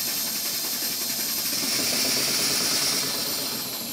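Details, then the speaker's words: Stuart Models Twin Victoria steam engine on a large steam plant with ceramic burner, run slowly at about 60 psi with the safety valve set. Soft, even chuffing under a steady steam hiss with no knocks or stumbles, running smoothly and normally. "that's it for this episode I'm going to stop the narration and just let you listen to the sound and see the engine running"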